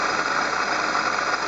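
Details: Water pump bearing noise from the engine bay, found on inspection after an abnormal-noise complaint: a steady, dense whirring hiss with a faint high whine over idle, constant at fixed speed, pointing to a worn water pump bearing.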